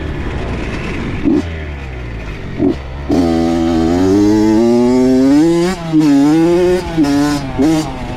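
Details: Honda CR80 two-stroke with Keihin PWK 28 carb, after replacing a spark plug the owner thinks was oil-fouled: crisp revs climb and drop cleanly on each blip with no bogging or misfire. Running clean, though possibly lean.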